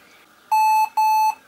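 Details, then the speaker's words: Lenovo ThinkPad X1 Carbon Gen 3 laptop whose fan failed mid-use, with 5 volts confirmed at the fan fuse: two even high beeps at power-on, the fan error code. It is still unclear whether the cause is a contact problem or the fan. "Okay, ja. Fan-Error, schon klar. Gut. Was ist unser genaues Problem? Haben wir ein Kontaktproblem oder haben wir ein Lüfterproblem?"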